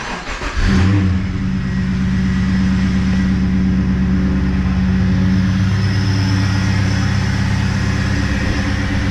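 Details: V8 SS after a coolant leak repair, started cap-off while refilling and self-bleeding the coolant: catches at once and settles into a steady, even, deep idle burble with no misses or knocks.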